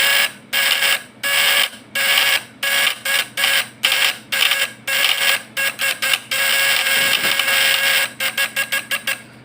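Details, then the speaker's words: Fish-stunner (setrum ikan) platina point-vibrator type PS, primer 3 / sekunder 4 winding, retested after adjusting the points: crisp high-pitched buzz in repeated on-off bursts, clean and steady, sounding different from before; normal vibrator buzz. "Nah, kan udah beda dari yang tadi kan, dari suaranya."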